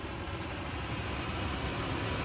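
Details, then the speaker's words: Nissan NV3500 rear blower motor, previously not working, after repair with key on: strong steady rush of air at full speed, smooth with no rubbing, ticking or squeal; blower healthy. "Woo! She's a beast. Holy moly, I think it's gonna take off."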